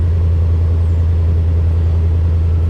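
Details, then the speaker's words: 1971 Chevy C10 truck at salvage auction, just started: deep smooth V8 rumble at idle, even and unbroken with no ticks or misses, good exhaust note; normal healthy idle. "Let's go ahead and fire it up. Oh. Ooh, the exhaust sounds good."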